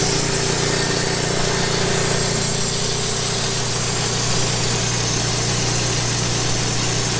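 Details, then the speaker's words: Late-1990s Wood-Mizer LT15 sawmill engine, long-stored, after maintenance, still running despite its age: steady even note with constant hum, no knocks or misses: normal running. "I'm just happy this woodmizer lt15 is old as it is actually still running"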